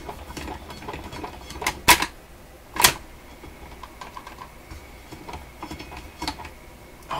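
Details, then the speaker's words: Electrohome Chippendale console's Webster record changer, tested after gluing a new surface onto the intermediate wheel to fix traction: irregular sharp clacks and rattles at random moments, something loose clattering in the changer. "That just sounds horrible. I wish I could see under there."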